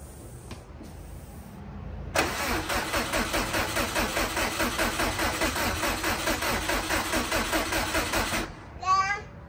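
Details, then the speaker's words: Subaru bugeye with STI swap, first start attempt after reassembly: about six seconds of steady cranking that never fires; fuel pump not heard running, owner suspects a missing pump or fuel fault. "We know we have power to the starter and all that, because it's cranking at least. I don't hear the fuel pump turning on, so I think the problem is either there isn't a fuel pump in the car or something to do with fuel."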